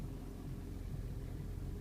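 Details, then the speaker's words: 2011 Ford 6.7 Powerstroke diesel with DEF added to the fuel tank, codes P1291/P1292: sounds good at first, then after a few seconds shorted injectors drop out four cylinders, giving a deep uneven lumpy stumbling rumble; fix is replacing the entire fuel system. "you see at first it sounds pretty good and it looks good and after a few seconds of running the injectors that shorted out takes out four of"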